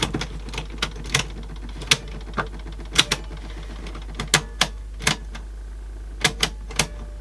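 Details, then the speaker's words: Sansui dual cassette deck, a low-end unit with Tanashin-type mechanisms, one seemingly jammed: irregular sharp ticks and clacks over a low hum in play mode. Clatter in play, cause not yet found. "yeah so that again making that noise in play so we've definitely got big faults of this thing"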